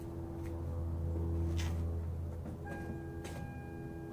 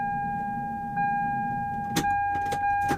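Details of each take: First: Lexus SC300 2JZ after fuel pump ECU bypass, engine still cold: cranks a few seconds, catches into a rough, uneven run that stumbles and tries to die when revved; starts much better than before; cold start hesitation. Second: Lexus SC300 2JZ with fuel pump ECU bypassed by a jumper clip, key to on: steady mid-pitched whir from the rear for a couple of seconds; fuel pump priming normally, original fuel pump ECU suspected bad.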